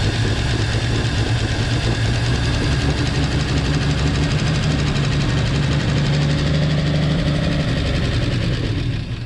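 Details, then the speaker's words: 1949 Chevy Fleetline 216 inline-six after freeing stuck lifters and straightening bent pushrods, side cover off, just started: rough idle with typewriter-like valve train ticking, smooths as it warms. "well it's still let me turn the key off it's still a little rough at idle but once it kind of warms itself up it does smooth itself out quite a bit and everything's moving definitely sounds like a typewriter pretty common on a 216"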